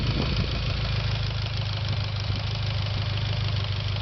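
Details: Mitsubishi Evo X at idle: a faint, quick tick of about three per second riding on the steady engine note; cause not pinned down.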